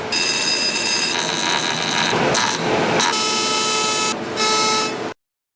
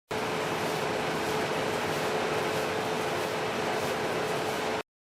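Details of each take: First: Whirlpool dryer running: loud, harsh buzzing scrape with piercing high tones. Something has likely fallen inside the blower (fan) wheel housing and is rubbing against the blower wheel; check inside the housing. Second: Whirlpool dryer after checking and cleaning the blower wheel housing: steady, even rush of air with faint constant hum, running normally.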